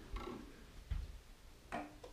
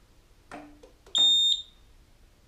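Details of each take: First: Roma Sorrento mobility scooter with throttle fault code (seven flashes, out of neutral): rear electromagnetic brake clicks on with sharp separate clicks; throttle pot suspected not centered, water found inside. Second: Roma Sorrento mobility scooter after a throttle-fault repair and throttle pot adjustment: short beeps with soft clicks repeat about once a second in a quiet room; the reverse beeper is normal and no longer cuts out.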